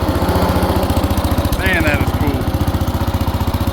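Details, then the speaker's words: 1970s AMF 1414 barn-find garden tractor with the fuel filter removed, choke off: steady, even single-cylinder thumping at fast idle with no misses. The earlier problem is blamed on that filter, and it now runs cleanly and throttles up fine. "So, I think that fuel uh fuel filter was our issue. I took that out and now it's running good with the choke off."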